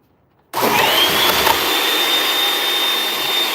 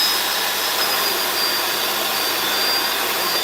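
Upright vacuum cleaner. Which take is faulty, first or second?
first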